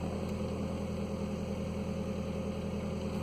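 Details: 2015 Nissan Versa at startup and idle: loud, raspy low puffing drone from underneath, an exhaust leak where the pipe rotted away just after the muffler flange connection; the pipe needs replacing.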